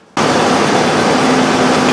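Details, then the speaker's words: 1998 Ford Ranger 3.0L after replacing fuel injectors on cylinders 2 and 3 (misfire from a dead injector): brief shake at startup from purging air in fuel rail, then smooth steady idle with constant hiss, no misses; fuel trims back to normal. "I started up. That's just the pressure in the rail and purging the fuel rail out of some air in it. But smoothed right out."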